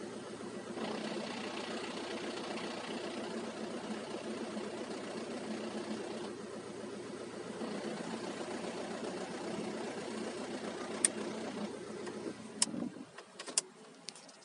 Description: Manual gear box making rattle grinding noise after clutch change. Even in neutral( slave cylinder or gearbox bearings?)